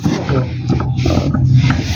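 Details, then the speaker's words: LG twin-tub washing machine, very noisy while washing: deep, rough, unevenly pulsing growl under wash load from the transmission, judged destroyed and to be replaced. Worn transmission gears. "Bueno le vamos a reemplazar esta transmisión parece está sonando un poco rara y bueno la vamos a reemplazar Uy está destrozada si está bien mala"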